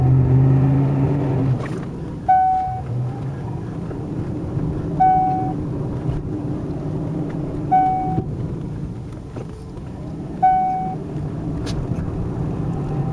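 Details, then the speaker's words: 1999 Cadillac Northstar engine after rebuild, first drive: steady low rumble with a short chirp and light clunk every two to three seconds; owner suspects a loose heat shield, some exhaust valve and power steering noise; intermittent chirp and rattle. "A little bit of exhaust valve. I think there's more like a heat shield down there that needs to be tightened up. Power steering. That's got a little bit of noise to it."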